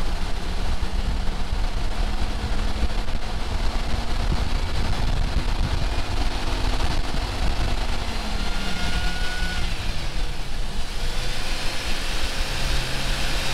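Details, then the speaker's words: Jeep warmed up after cleaning pulley and refitting belt to fix high-pitch squeal (owner suspected AC compressor bearing); steady even low idle rumble, no squeal, only faint brief whistle; normal idle after fix. "Okay, seems like the squeal's gone. I didn't hear anything."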